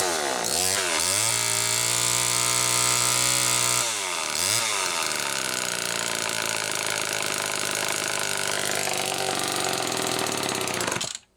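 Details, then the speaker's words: Homelite XL-2 chainsaw after clutch and carburetor work: screams at high revs, surging and dipping instead of settling, running lean. Owner says a crankshaft seal is leaking air. "Oh boy, folks. You know what that means. We have a leak somewhere. One of the crank seals is leaking."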